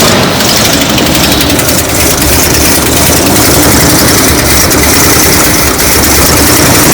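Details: Classic Chevy ramp truck V8, after a shorted wire that had killed the coil module: big V8 settles into a steady, even idle with no misses, knocks or stumbles under road noise; sounds healthy.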